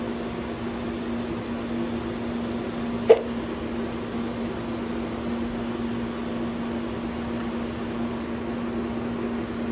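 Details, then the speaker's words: Lincoln Square Wave TIG 175 Pro replaced by a Vulcan ProTig 205 (Harbor Freight) TIG welder; its cooling fan gives a steady, even drone with a low hum, no rattles or pitch wobble. Normal cooling fan running. "Fan's on, as you can hear it. I don't know if you can hear me talking there."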